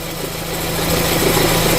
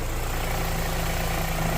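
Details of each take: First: 2013 Renault Fluence with a cold engine, A/C on and in Drive: a steady low hum at idle. Pressing down on the belt tensioner stops the noise, pointing to a worn belt tensioner. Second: 2013 Renault Fluence idling in Drive with A/C on to load the engine, after replacing engine mount, belt tensioner and belt: smooth even idle, no chirp or rattle from belt area; previous noise gone.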